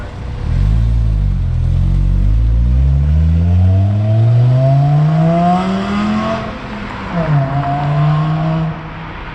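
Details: VW MK5 Jetta manual after shift linkage adjustment (shifter bushings still need redoing, no fifth gear), neighborhood drive: engine note climbs smoothly through gears, dips at each shift, pulls cleanly again with no knocks or misses; healthy.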